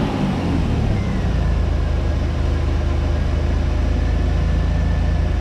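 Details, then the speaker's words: 1989 Pontiac Firebird 2.8 engine after fuel pump replacement, last titled in 1991: low steady rumble with even pulse, no stumbling; settling into fairly smooth idle, fuel pump running and injectors firing. "Actually, I don't think it sounds bad at all. It's actually running really well."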